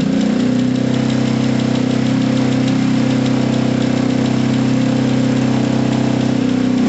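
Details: Gilera DNA 125 scooter idling low and slightly unevenly, about four beats a second, unwilling to take any revs, likely from a dirty carburettor; a loose rear brake pad also rattles.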